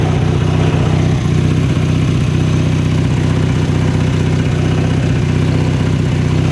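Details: 1983 Sears Craftsman GTV/16 garden tractor, 16 hp opposed-twin Briggs & Stratton, after replacing idler pulleys and drive belts; steady low drone, even pulse about three per second, no belt squeal or slap, normal running.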